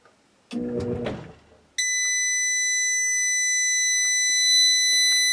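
A short hum as the compressor tries to start, then the inverter drops out into a steady shrill tone: overload alarm.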